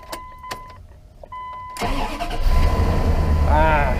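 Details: Dodge Ram 5.2 V8 after exhaust manifold leak repair with studs replaced by bolts: starter cranks briefly, engine catches and settles into steady, even idle with no ticking or puffing from the manifold; leak fixed.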